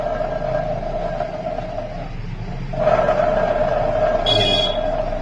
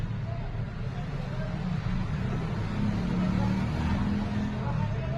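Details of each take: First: Maruti Eeco gearbox: steady mid-pitched howl with a rough rumble under it from fully worn countershaft bearings; noise gone after the bearings were replaced. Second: Maruti Eeco manual gearbox after replacing worn-out countershaft bearings, engine and gearbox run with a low, even hum, completely silent with no whine or growl.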